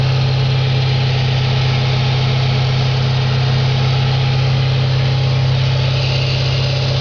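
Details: 2004 Audi S4 4.2L V8 at idle, oil pressure over 100 psi at idle (gauge possibly hooked up wrong): even idle hum with a steady low dull regular tap; engine knock at idle, cause unknown.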